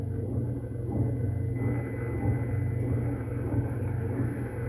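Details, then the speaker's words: Hemi Duster Mopar A-body wiper motor running the rebuilt, resealed wiper transmission, apparently drawing about 8 amps: low even hum with slow regular sweep swell, no grinding or clunks; normal wiper motor operation. "So, I wonder if that would mean it's drawing about 8 amps. That would be about right, wouldn't it? I'd say so. Good. We got wipers now."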